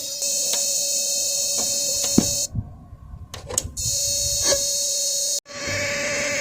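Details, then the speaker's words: 1995 Magnavox 25TSC60101 TV (25B501-00AA chassis) with no high voltage; strong hiss, whine and irregular ticks that cut out and return. The power supply chirps intermittently, and a slightly bulged capacitor is suspected. "Okay, that sound you heard is going to come through the speaker for a split second. Then it's going to quit. And it doesn't seem like it's coming from the speaker, but somewhere over here."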